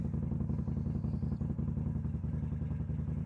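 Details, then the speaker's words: Kawasaki VN800 bobber, after likely fixing carb boot vacuum leak: lumpy V-twin idle with beats dropping out, still missing at low revs though fine above 4,000-5,000 rpm; owner suspects valve clearance, unconfirmed. "I think the vacuum's sorted, but it's still missing, so I'm just going to fire it up and let you hear it anyway, because you missed that bit."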